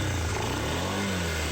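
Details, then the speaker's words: Suzuki Vinson 500 ATV that bogged under acceleration hot or cold, after cleaning the fuel system and checking the spark plug: the single-cylinder engine revs up cleanly and instantly with good power and no stumble, normal throttle response. "There's the fix. Instant throttle respond. Good power."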